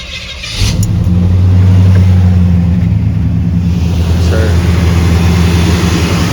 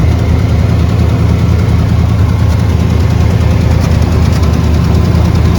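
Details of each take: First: Chevrolet C10 V8 after new exhaust and a coolant hose replaced for a leak, running to bleed air from the cooling system: fires, flares, then settles into a deep, steady, even rumble with no knocks or misfires; healthy idle, air bubbles gone. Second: Chevy C10 V8 at first start after a new exhaust install with slip joints and some welding: deep even idle with soft, uneven puffing about three a second, pointing to a suspected minor exhaust leak.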